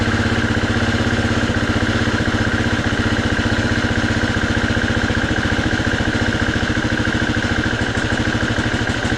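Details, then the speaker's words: 2019 Husqvarna FE350 after long storage and an oil service, started stone cold: single-cylinder idle with a clattery rhythm that grows uneven, missing and dying within a minute; it also bogs when ridden; cause suspected, not confirmed. "You hear it missing, there it goes, and it just dies. And it hasn't even warmed up. It hasn't even ran a full minute yet, and it's just dying."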